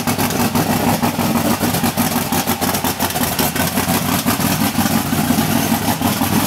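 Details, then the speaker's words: Team Spectre's second, newly installed 484 cubic inch A-fuel engine in the Bonneville car fires up and settles into a loud, lumpy, choppy idle with hard crackling exhaust. It runs steadily with no knocks or misses. "Hey, so uh you heard it fire. Sounds good. Smells good. Uh feels good."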